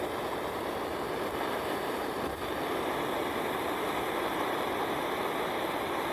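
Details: M-1942-MOD Preway camp stove on first run in decades after cleaning, new graphite packing and rebuilt pump, generator preheated with lit fuel: steady, even rushing roar with no sputter or pulsing; burner holding a clean, healthy flame.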